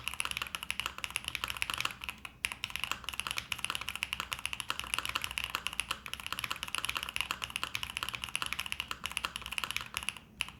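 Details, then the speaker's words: Pre-built LuminKey75 keyboard, stock switches of unknown type: crisp, even clacks at a quick typing pace with no stabilizer rattle or ping; really good for a pre-built, normal typing sound. "that's not bad for a pre-built like that's honestly really good"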